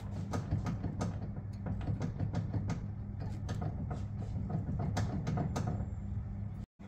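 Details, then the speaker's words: Clicking from the front suspension of a 1991 Honda Civic EF hatchback with a B16, heard while the car is stationary and dry as the steering is turned: sharp, irregular clicks over a steady idle hum. The side is hard to tell. "so first I'm going to check the steering thing while the car is dry it it it's a little like clicking noise"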